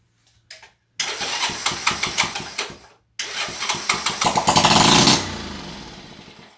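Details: Restored Honda C102 50cc cub motorcycle, after setting valve clearance and cleaning ignition points: small single fires on the first try, dies, then catches again and putters evenly with a quick rev before settling; starts and runs fine.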